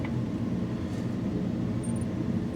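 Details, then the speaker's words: Engine idling steadily with a few brief high-pitched chirps near the end; squeaking alternator, attributed to worn alternator brushes. "And there's that squeak. You can hear that. You know, it's a funny squeaky sound."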